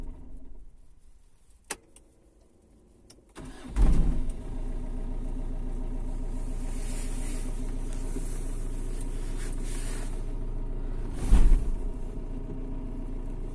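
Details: Mitsubishi Shogun 3.2 diesel: fires up and settles into a steady idle, then one heavy clunk about seven seconds later; clunk noise, cause not evident.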